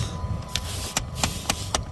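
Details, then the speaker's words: Dodge HVAC blend door actuator, ignition in accessory with the fan on, after moving the actuator in quarter-inch increments: light ticks about four a second over the fan hum, lighter than before. It is still uncalibrated but nearing the right position. "okay it's still ticking that's it's wrong okay turn it off sounds lighter though so that's it's getting towards its right position"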